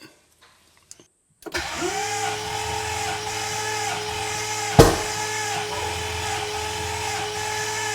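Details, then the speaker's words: VK Calais, first start attempt: steady starter cranking that never fires. Seemingly no fuel, as injectors sat for ages with ethanol and did not click; pushrods were also an issue. "it's not starting that some doesn't sound like is getting any fuel but we just tested in an injector just to see if it it click because been sitting around for ages with ethanol in it and none of them seem to do anything"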